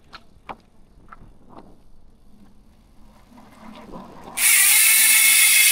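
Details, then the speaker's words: Hasins Pro 7 MTB rear hub, 32-spoke conversion, sealed bearings, 6 pawls, on Scott 4.0 frame, freewheeling: few soft clicks then loud steady high ratcheting buzz; pawls engaging normally. "Uy, malakas. Yan guys, yan yung tunog ng Hasins Pro 7 MTB hubs kapag naka-free wheel."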